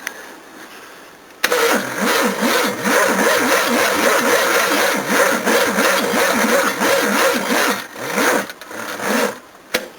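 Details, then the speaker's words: Battery left on charge a long while and no longer taking much power, cranking a 351 V8 on leads: sluggish, laboured crank of about three turns a second that sags and stumbles; the battery fails. "Yeah, I'd say this one had its day. Yeah, fail."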